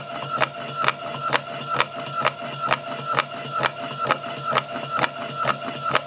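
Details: Patlite SKP-240 industrial halogen rotating beacon, fixed-belt drive: evenly spaced sharp clicks about twice a second over light motor whir, motor assembly rattling on the rough belt section; normal operation.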